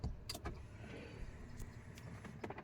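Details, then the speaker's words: Brand-new 2024 Chevrolet Silverado 1500 LT, start button pressed with the brake on: only faint clicks and cabin noises, no crank, dead dash. Owner suspects a drained battery; a recall covers battery drain after an over-the-air update. "And nothing. As you can see, the air comes on. No response from the dash."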